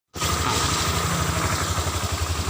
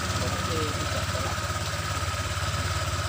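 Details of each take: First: Honda Vario 125 scooter on center stand at low idle: steady low thrum with faint drivetrain drone as the rear wheel turns by itself without throttle and can't be held by hand; CVT clutch dragging at idle. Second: Honda Vario 125 scooter after repair of rolling without throttle: steady even idle thump near three and a half beats a second, no slipping or dragging noise; normal idle, rpm called good for oil circulation.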